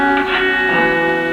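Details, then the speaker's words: Fender Super Reverb Blackface amp, vibrato channel, reverb turned down, owner says vibrato slow to start: guitar notes ring almost flat with barely any volume pulsing; oscillator ticks but vibrato intensity far too weak, cause not yet confirmed. "There's hardly anything in terms of vibrato level going on there, so I suspect it's that he means takes some time to come on."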